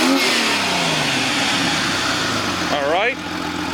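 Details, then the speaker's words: 2001 Jeep Cherokee XJ 4.0 after upgrading to new four-hole fuel injectors: each injector unplugged in turn stumbles the engine, confirming it fires; then quick revs climb cleanly and settle smoothly, firing evenly with no stumble or miss. "and we got number six and it stumbles so everything's good give it a couple red"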